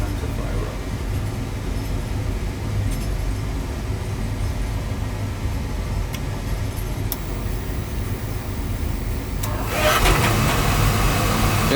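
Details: Oil burner in a basement, down about two days, burnt control found, breaker had tripped: motor hums steadily then flame whooshes and settles into an even roar; burner firing normally.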